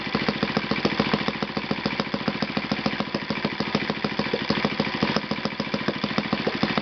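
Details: Yamada (Futaba) YS-F120 four-stroke 120-size model engine on test stand after total rebuild (combustion chamber buildup, piston and ring problems), Yamada No.4 glow plug: crisp even popping at steady idle about three to four beats a second, no sputter; normal running.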